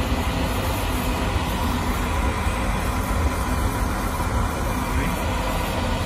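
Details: Oil-fired boiler that would not light because clogged filters restricted the oil, after all filters were replaced: a continuous, even roar with no sputtering, pulsing or cutting out, indicating the burner fires steadily.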